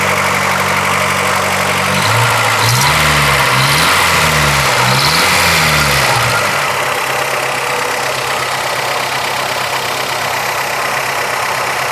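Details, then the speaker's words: 1985 Toyota Celica 22RE at cold fast idle with a couple of revs: a constant hissing whir holds through the revs. The brand-new water pump was ruined when water left in the system froze. "That's the water pump. That water pump's brand new. Remember when I said we left water in this system and it froze? Guess what we ruined?"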